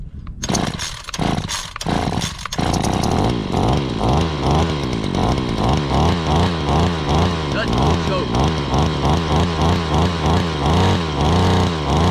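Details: 2013 Ryobi SS26/RY28140 trimmer, 26cc two-stroke, cold start: catches after a few pulls, then runs steady with a gentle rhythmic surge on choke while warming up; normal running.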